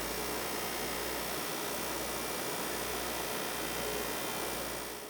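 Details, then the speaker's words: PS5 console playing a game from disc: steady, even rushing whoosh with faint hum, no rattle or ticking; normal cooling fan noise under load, loudness depends on which of three fan models is fitted. "well believe it or not depending on your ps5 the sound is completely normal but it's also true that some ps5 consoles are in fact louder than others it all comes down to which model of cooling fan your ps5 was assembled with during man"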